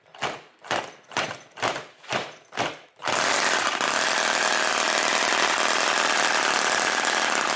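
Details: Musa Hoglet model V-twin, air-cooled two-stroke on oil-fuel mix, about 0.6 hp, CDI ignition, kickstarted: about six sharp kicks, then catches into a steady high-pitched buzzing run that holds even; starts and runs well.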